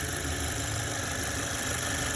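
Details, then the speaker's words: Audi B9 Q5, 12,000 miles, idling: smooth idle with light fast even ticking from the direct fuel injectors; normal, engine runs excellent. "If you listen closely, the sound you hear is actually the fuel injectors spitting the fuel into the system, hence direct injection."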